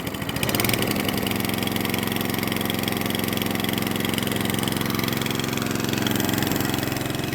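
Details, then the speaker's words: Atco Balmoral cylinder mower unused nine years, after manual carburettor clean of main jet and emulsion tube: fires on first pull, then settles into a smooth, even putter at steady speed with no misfires; normal running. "lovely so fired up on first pull"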